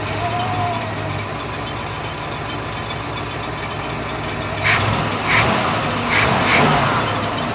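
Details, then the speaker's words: 1969 Buick Riviera GS V8, revived after 30 years sitting: running better but idling fast and steady; high idle from a vacuum leak. "running better kind of got a high idle"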